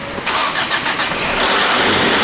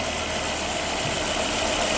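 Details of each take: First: Volvo sports car, long abandoned, first start after new coil packs and spark plugs: a rough, uneven clattering start that never settles into a clean idle, with harsh mechanical knocking. The belt has jumped, giving incorrect cam timing. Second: Volvo engine at about 200,000 miles, just fitted with five new coil packs and OEM spark plugs: smooth, even, quiet idle with a steady hum and no ticking or knocking. Normal idle.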